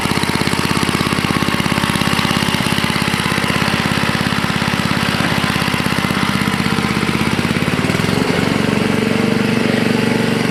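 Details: Toro 524 snowblower, Tecumseh H50 single-cylinder, after fixing a no-stay-running fault caused by a clogged gas cap: even steady beat, then picks up smoothly and holds speed, no stumbling or dying; healthy.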